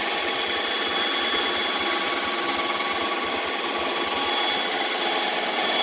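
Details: Bandsaw, new and still being dialed in, cutting along a curved line after relief cuts: steady hissing cut at even pitch, no bogging or slowing; normal bandsaw cut.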